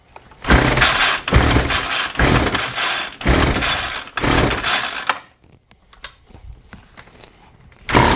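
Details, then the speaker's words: John Deere RCS400 two-stroke trimmer combo of unknown history, primed, with gas in the carb and choke on. It has a fuel leak. Four rasping rope pulls with no firing; it later runs on starting fluid, so fuel delivery is suspected. "So that tells us the engine is capable of running, but it seems like we have a fuel delivery issue, so shocker, I know, right?"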